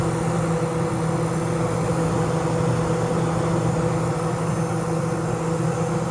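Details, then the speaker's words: Vintage thrift-store Kenmore 48-pint dehumidifier (R22 refrigerant) on high fan; it shakes a little. Steady low hum, even fan rush and a faint rattle: vibration on high fan speed. It was later junked after sparking was found in the wiring/switches. "kind of shakes a little bit"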